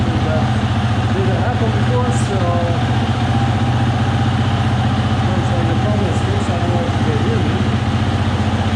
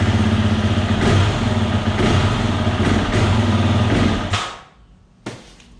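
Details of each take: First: 2020 Husqvarna FE 350 with 40 hours, after replacing the in-tank fuel filter and screen for a bog on throttle opening: steady, even low idle thump with no stumble, surge or misfire; normal. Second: 2020 Husqvarna FE 350 with 40 hours, before fuel filter replacement: rough, pulsing run that fades and stalls about four seconds after the throttle is opened fully from idle; bogs and stalls, owner suspects the in-tank fuel filter.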